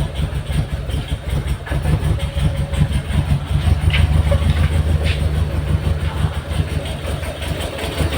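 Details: Mitsubishi Galant GTI 4G63 engine after its hard-starting problem was solved: a low, steady four-cylinder idle with a soft, slightly uneven pulse and no knocks or misses. The idle is normal.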